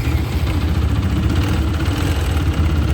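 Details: TVS Apache 160 4V BS6 motorcycle at 45,679 on the odometer, customer complaint of timing chain noise, before replacement: steady idle with fast, light rattling chatter over the engine beat; worn timing chain noise.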